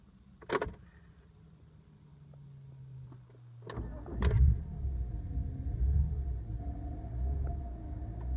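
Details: BMW E46 325i petrol six idles roughly, revs swelling and sagging, with EML, DSC and brake warning lights on, caused by a faulty throttle and two broken cables (throttle and accelerator pedal).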